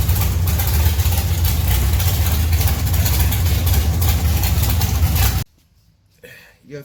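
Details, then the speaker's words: 1971 Dodge Duster race car with a 528 big-block Mopar on alcohol (formerly nitrous) and a Powerglide, first start after sitting three years with new valve springs. Deep, loud, lumpy rumble pulsing evenly at about four beats a second, then shut off; a healthy strong idle. "we got at 528 big-block Mopar runs on alcohol used to have nitrous but runs mid fives but hey let's have let's go ahead and crank it up"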